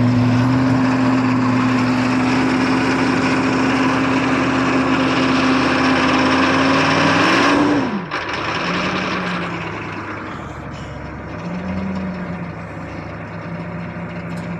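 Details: 1982 Chevy Blazer 6.2 diesel, cold start at about 20°F after three days sitting, glow plugs held 10-15 seconds, half throttle: clatters with high whine then drops to even lower idle; about 40 lb oil pressure, charging good.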